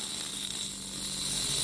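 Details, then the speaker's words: Car AC not blowing cold, high side port with system under vacuum: steady, even high hiss with almost no low end as AC dye is sucked in; normal suction. "That is my AC dye being sucked in."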